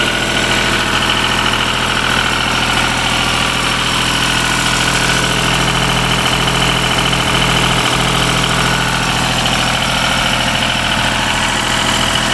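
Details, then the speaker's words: Deutz diesel engine driving a Lima generator, first start-up after repair, at about 1,850 rpm: constant evenly paced drone with no knocks or hunting. Owner calls it a runner. Normal running. "So that's probably about around 1850 or so. There it is. It's a runner."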